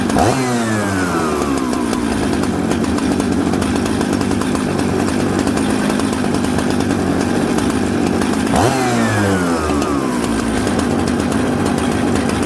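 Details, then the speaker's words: Mixmaster chainsaw from Husqvarna 266 and Jonsered 630 Super parts: loud run, blips sag and burble coming off idle, smoky; rich low-speed jet, low jet then turned in. "so you hear how smoky it had a little bit of a bumble off idle"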